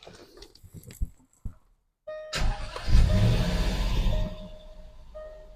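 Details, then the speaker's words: 2010 Jaguar XFR, 46,000 miles, after replacing a failed old injector plus plugs, coils and an oil change: short crank catches quickly into a smooth, steady idle, no misfire or smoke; runs normally after repair. "runs good as it should"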